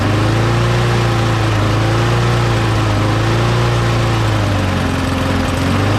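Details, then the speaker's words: Mower engine after parts were blown out with compressed air and refitted, primed three times: steady low drone with slight governor hunting, no misfire; runs fine, though owner says the primer still isn't priming. "all right okay so it works just not getting any primer yeah so it's just not getting any primer"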